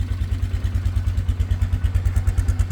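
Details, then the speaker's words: 2013 Polaris Sportsman 500 HO just started after sitting, with a fresh battery: an even, steady single-cylinder idle with no knocks. Nice and quiet, with no smoke; it runs healthy. "no smoke I like it I like it a lot the lights work she's nice and quiet I dig it"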